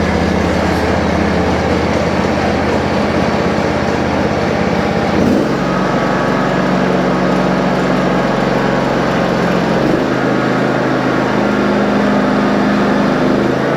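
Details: John Deere riding mower running after its solenoid was replaced: a steady, even engine drone and smooth hum with no knocks or misses; normal running.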